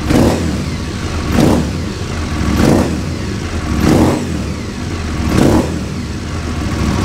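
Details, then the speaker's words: Aprilia Caponord 1200 Rally cold start with cut-open airbox sleeve: twin blipped about every second, each rev bringing a loud hollow intake roar; modification gives slightly more power but too much noise, stock sleeve being refitted. "allez à toute petit démarrage à froid pour vous faire entendre le bruit avec la boîte air le manchant de boîte air découpé"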